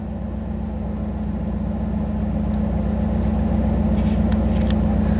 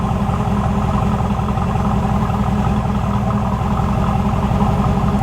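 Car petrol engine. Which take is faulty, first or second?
first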